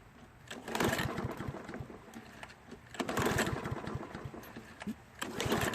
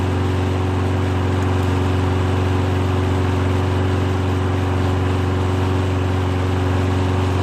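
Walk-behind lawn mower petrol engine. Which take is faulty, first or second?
first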